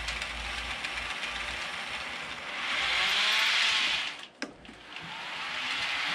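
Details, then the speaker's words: Realtrack Class 156 model train, RT156-312, after running in: motor whir with a high squeal only in one direction, traced to one bogie. "What's interesting is if I lift this part of the bogie up, you can hear it squeaking. So I definitely know it's on this part of the loco."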